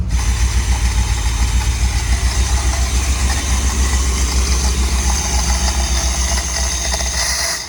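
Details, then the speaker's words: 1973 Dodge Vector RV, rebuilt Mopar 440 big-block V8 with new carburetor: uneven loping puffing idle, popping getting progressively worse; suspected exhaust leak, cause not pinned down. "Yeah, we're popping a little bit. So, it starts popping and gets progressively worse."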